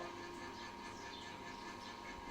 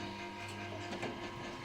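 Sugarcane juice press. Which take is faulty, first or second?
second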